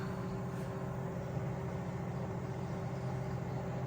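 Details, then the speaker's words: LG inverter microwave, repaired after clicking and no heating (shorted PCB high-voltage diode cited as cause); steady low electrical hum and constant buzz, no crackle or arcing, heating normally. "So everything has normalized. That's it. Can you hear the buzzing? It's working now."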